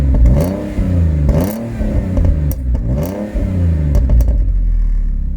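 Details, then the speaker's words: Ford Mondeo ST220 V6 at 100,000 miles with K&N air filter, recorded at the rear, P0443 fault code stored: clean revs rising and falling, settling to an even idle; sounds healthy. "This is it with the original, the K&N on it, the sound. And it does sound quite nice actually."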